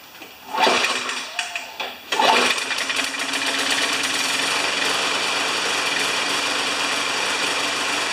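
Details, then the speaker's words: An old Tecumseh lawn mower engine after a few pull-start tugs catches and drones with a ragged, unsteady beat, clearly running rough. Cause unconfirmed. "all right I think you get the message right I don't know if you could hear how rough that was running"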